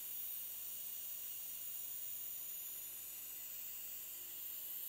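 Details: Litewinsune 28V 200W LED power supply, powered without load: faint, steady, very high-pitched whine over room hiss with a refrigerator running nearby; owner suspects the MOSFETs, not confirmed.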